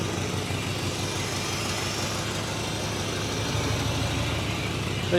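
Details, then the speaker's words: Squarebody Chevrolet C10 after 21 years in storage, first start, low on oil: low steady V8 idle with an even beat and no knocks or ticks; sounds like a solid engine. Normal idle. "No, you got to say it sounds like a solid engine."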